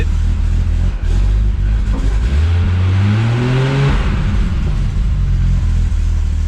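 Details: Boosted FG Falcon on 60% ethanol, 1650 injectors, cold, with a dump pipe leak noted. The deep exhaust note climbs smoothly through a free rev and settles back to a steady idle, clean and even; a healthy engine.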